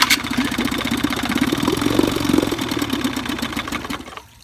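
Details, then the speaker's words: 1955 Evinrude 7.5 hp fleet twin outboard under restoration (new coils, cleaned/replacement carburetor, single-line fuel conversion), plug wires swapped for firing order: catches, pops unevenly about four beats a second for a few seconds, dies; won't stay running to adjust the needle. "stay running long enough I'd know how to adjust the needle"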